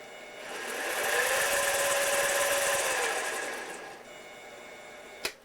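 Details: 7x10 variable-speed mini lathe running in reverse from its lowest speed: a smooth, even motor whine rising in pitch as speed is raised steplessly, then easing off, with no knocks or grinding; a healthy spindle.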